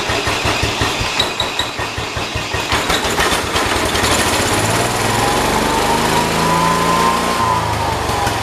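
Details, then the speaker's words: John Deere 212 tractor after the problem was found: rough firing at start-up smooths into steady, even idle a touch fast; running fine. "still throttles up a bit high but it's idling real good"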